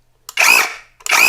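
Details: KAMOLEE mini pressure washer running dry, not connected to water, after assembly: two short bursts of a high, steady motor whir that start and stop cleanly with no rattle or grind; pump motor sounds healthy.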